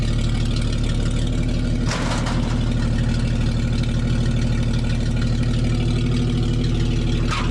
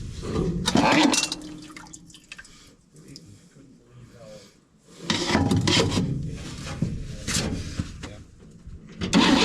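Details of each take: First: 1961 Chevy dump truck started after sitting a while: deep, steady idle with an even low beat and no knocks or misses; normal idle. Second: 1961 Chevy dump truck after battery replacement: repeated bursts of slow cranking with gaps between tries and no clean catch; long cranking, hard start, owner suspects old gas and carburetor needing work.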